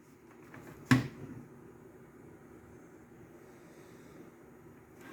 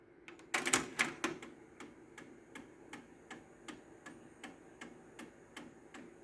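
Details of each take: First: Technics RS-TR165 dual cassette deck recording-side mechanism after gear replacement: one sharp clack as it engages, then a faint, steady hum with the previous clicking gone. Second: Technics RS-TR165 dual cassette deck, recording-deck mechanism: sharp, steady clicking about two to three times a second from a suspected failing internal gear, before the gear is replaced.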